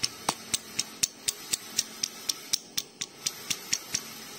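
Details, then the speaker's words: Honda Megapro motorcycle crankshaft under repair: the old connecting rod is rocked on its crankpin, giving sharp metallic clacks about four a second from worn big-end bearing play, much louder than a new rod; rod replacement needed. "tapi kalau dicek Coba kita cek stangnya masih bunyi kalau stang baru itu tidak seperti ini ini bunyi keras banget"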